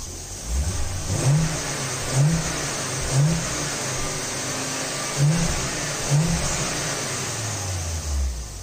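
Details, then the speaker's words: Volvo running with no wheel fitted: engine blips about once a second and settles back cleanly, no knocks or rattles; sounds fine and healthy, normal revving. "Bilen tager gassen. Bilen kører ikke, men det er fordi, der ikke er noget hjul på. Men den lyder fint, den lyder sund."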